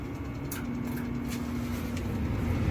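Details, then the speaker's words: 80% residential gas furnace at start of heating sequence: steady low hum rising into an even motor drone with a faint tone as the draft inducer motor starts cleanly and the pressure switch closes. "there goes our inducer motor. Pressure switch closes."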